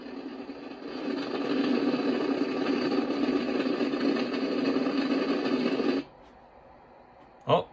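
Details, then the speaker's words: Icom IC-746 Pro on MFJ switching power supply, S-meter pinned full scale: steady hiss with rough hum, unchanged with antenna removed and across bands; internal receiver noise fault, owner suspects supply voltage or bad components. "if i take the antenna off i take it right off it doesn't make a difference there's still all that noise pretty weird huh"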